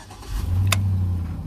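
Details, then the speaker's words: 2005 Chevy TrailBlazer after no-start diagnosis: short crank, engine fires promptly and settles into steady low idle; now starting normally. "y ahí está amigos el auto está encendiendo ahora normalmente"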